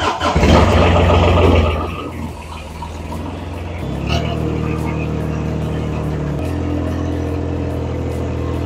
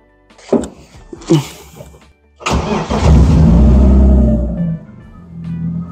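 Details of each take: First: BMW E30 Touring, M50B25 engine, on ethanol fuel in very cold weather, oil suspected in combustion chamber: long steady starter churn of about two seconds before catching and settling to idle; long-cranking cold start. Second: BMW E30 Touring, M50B25 engine, test start after refitting the ignition coils: short crank catches quickly, flares, then settles to an even idle without stumbling or missing; normal start, no problem.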